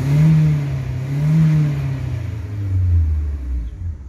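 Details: 2008 Fiat Fiorino Flex after fuel pump refill replacement, previously hard to start, misfiring and loud near the tank: engine pulls up smoothly through several clean revs and settles back without stumbling; normal, problem solved.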